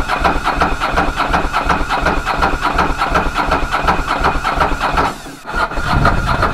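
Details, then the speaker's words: Ducati Monster 900 twin, first start after a carburetor rebuild by Doc Carbu: runs smoothly and evenly but at a fast idle set far too high, needing adjustment. A small fuel leak was also found at the fuel tap. "it's running it's running quite smoothly on the other hand I have a slow motion which is much too high so I'll have to I look at that"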